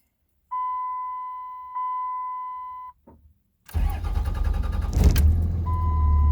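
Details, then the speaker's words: Cummins diesel, second startup after replacing plugged fuel filters and priming the fuel system: chime tones, then it cranks, catches quickly and settles into a steady, even rumble; normal running. "There it goes. Nice. Just so you guys can hear it. Definitely running."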